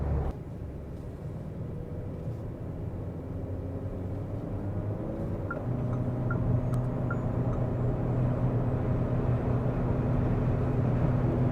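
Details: Lixiang at 130–140 km/h in humid weather: steady low hum over road noise, resonating into the pillar, traced to a door seal vibrating in the airflow.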